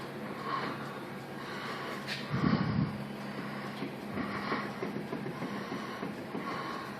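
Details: Loose, worn wheel bearing on a 2005 Mazda lets the brake rotor rub on the spindle frame: a low hum with a rubbing swell about once a second as the wheel turns.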